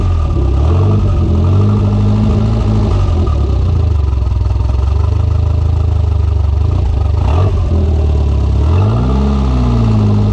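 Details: Conquest turbo (G54B) on a road drive after leaning out on the MAF-T: revs climb then sag and stumble repeatedly, cutting out as it tries to come onto boost; fuel pressure seemed to drop, cause unconfirmed.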